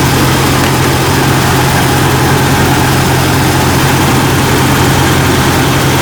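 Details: Jeep Cherokee XJ 4.0L that failed to start the night before, idling while the alternator output is checked, reading about 14 V, alternator good: steady, even low rumble with no knocks, misses or whine.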